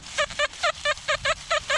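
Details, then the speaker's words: Metal detector at an old coal mining town site; weird fuzzy tone, rapid warbling beeps with a rough buzzy edge, target ID 65; non-ferrous target, dug up as a harmonica reed. "this signal this signal right here it's kind of got a weird weird tone to it it's kind of got a fuzzy tone you hear that's kind of got a fuzzy tone to it"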